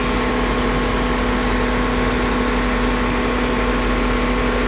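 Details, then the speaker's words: Car AC running at idle during refrigerant recharge via low side port: steady, even mid-pitched hum, no rattles or surging; clutch compressor cycles on and off at its set point, center duct holding 46–48°F; normal operation. "ull and the compressor is cycling on and off because it has reached its minimum temperature it's hit its set point"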